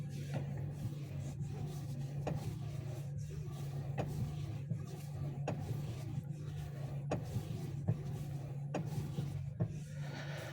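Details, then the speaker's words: Geely Atlas Pro, two weeks old with 2,200 km: light regular ticks about once a second over a steady low engine hum; owner fears a steering knock, source unconfirmed pending dealer inspection. "А вот этот автомобиль через 2 недели и 2200 пробега выдаёт вот такую вот звучок"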